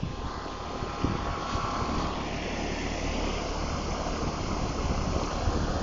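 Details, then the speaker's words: 2014 Grand Air 2-ton 13 SEER straight-cool central AC condenser (maybe ICP or Nordyne), leaf stuck in it, heard from behind unit on an 80s day: steady quiet fan and compressor hum, no rattles or squeals; normal running. "and I'm back here now, and I can just barely hear it. It's nice and quiet."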